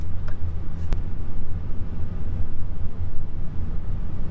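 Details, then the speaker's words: Car with wheel clunking over bumps for 5-6 months, unchanged by new shock absorbers, after replacing worn rubber bushings: driving over rough road at cruise, steady tyre rumble with no knocks or rattles; suspension quiet, fixed. "전체적으로 도로가 울퉁불퉁 하니까 아까 그 느낌이 전혀 그 소리는 안 나네요 예 좋습니다 전혀 잡소리가 안 나네요"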